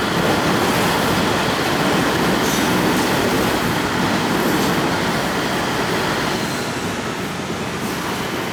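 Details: 1953 GE 80-ton long-frame diesel locomotive, last run 1998 by the Navy, just revived after joining the contactor coil wires: heavy steady roar with loose rhythmic wheel clatter; pulling under load and healthy. Air throttle has dead spots, likely loose wiring.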